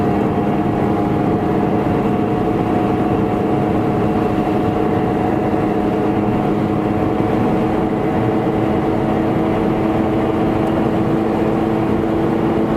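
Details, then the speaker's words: 2007 Toyota Prius at about 75 mph, in cabin: loud steady droning hum with low growl, quieter as speed changes; worn wheel bearing noise before replacement. "I've got a lot of wheel bearing noise."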